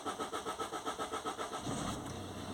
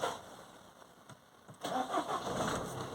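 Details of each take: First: 2014 Citroen C4 Picasso diesel with a history of low fuel pressure: starter churns in quick even pulses, about seven a second, before it catches and idles; long crank to start, rail pressure fluctuates; cause unconfirmed. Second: 2014 Citroen C4 Picasso diesel with a history of low fuel pressure and long cranking, after clearing intermittent low fuel pressure fault codes: engine catches almost at once and settles into steady clatter; normal quick start, though fuel pressure readings still erratic and it surges.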